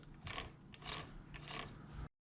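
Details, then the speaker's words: Yamaha YZ300 two-stroke build, transmission rolled slowly by hand with all gears installed: dry uneven clicking and ratcheting of gear teeth; builder thinks purely lack of lubrication, inspection found nothing wrong. "I think it is purely a lack of lubrication allowing those gears to make the noise"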